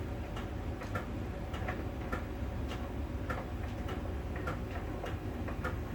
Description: it's like a round small ball that scrolls over the drum during the rotation. On the outside surface of the drum, there is a connection when the sensor touches that spot it makes that ticking.